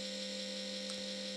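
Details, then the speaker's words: ZD-915 desoldering station (Atronic-branded), used for years and never properly cleaned, before repair; steady droning hum with constant high whir and buzz, fan got really loud recently, a problem many users report; worn cooling fan noise. "but recently it has developed another problem that many people who use similar stations have reported and and that's this you can probably hear the fan noise"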